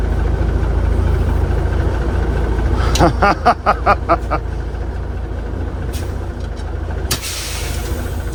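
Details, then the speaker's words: Peterbilt 359 diesel with newly installed Eaton EverTough clutch and Spicer 6-speed, clutch pedal low as brand new: steady low rumble, brief quick clicks and air hiss, no grinding or chatter; clutch takes up cleanly. "oh clutch is low I guess cuz it's brand new Mark oh nice and smooth no noise I might have done it right"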